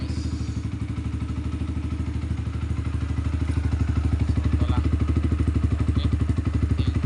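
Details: Yamaha R15 V2 that would not start, with the faulty relay found and bypassed: steady, even low thumping idle at about three beats a second, growing slightly louder. A healthy single running smoothly.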